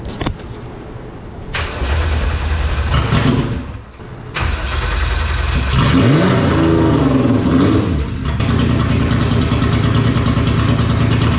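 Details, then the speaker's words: R36-swapped Mk2 Jetta VR6, first start of the replacement engine after the old one's crankshaft failed: starter cranks a few seconds, catches near four seconds, revs blip, then settles to a steady even idle; normal start. "we're going to try the first start here"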